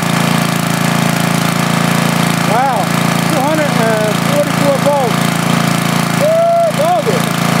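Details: Rebuilt 10 HP Briggs on a 5000 W Coleman generator, formerly smoking, after new rings, back in its cage and putting out about 213 volts: steady even drone holding speed under load, no hunting, knocking or misses; no smoke, running healthy.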